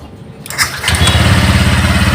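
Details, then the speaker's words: Honda Vario 125 LED that often would not start, blinking MIL code 12 (injector), after temporarily reconnecting a wire: short crank, catches within half a second, steady even idle; easy start. "hidup ya teman-teman hidupnya pun tidak susah Ya gampang Ya gampang lagi coba hidupin"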